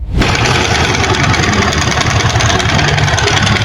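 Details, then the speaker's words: Motorcycle idling: dense loose metallic rattle over the engine note that changes completely when the clutch lever is pulled, indicating clutch noise. "Ahí hablamos de ruido de embrague"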